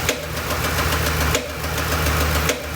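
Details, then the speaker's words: 2007 Ford Expedition 5.4L 3-valve V8 at idle with no stored codes: slightly rough idle with a sharp, hollow, popcorn-like pop about once per second, loudest at the top of the engine; possibly one cylinder or intake manifold, unconfirmed. "it's got a little bit of a a rough idle but what you hear is that the popping noise sounds like popcorn popping"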